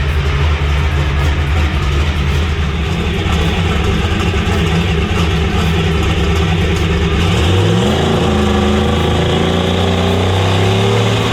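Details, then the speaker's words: Bad Influence Camaro, still warm, held on a 4,500 rpm rev limiter with timing pulled while building boost: steady high rev with hard, rapid rough exhaust popping because boost had not yet reached target, then the note shifts as boost builds. "you can hear that thing popping really hard when we're pulling that timing out and um that's because it was still down in the booth so what is happening is it hit you know 4 500 rpm on the rev limiter but it hadn't gotten to the target"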